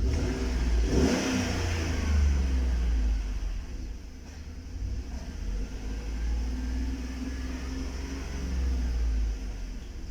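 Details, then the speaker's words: 2012 Chevrolet Tahoe V8 with P0300 misfire code, idling (plugs reportedly changed a month earlier, worn): uneven stumbling beat, misfire still present around cylinder 7. "الحين دخلنا على بيانات الحيه وبغى نشغل ونشوف الان عندي واحد لاحظوا باقي التفتفه وين موجوده في سبعه غير نفس وباقي"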